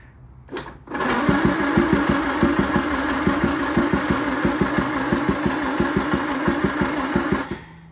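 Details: Land Rover Series 2A with rebuilt engine, temporary wiring loom and gravity-fed fuel: starter spins it about three compressions per second for six seconds, never catches; cranks but won't start, later found seized carburetor throttle.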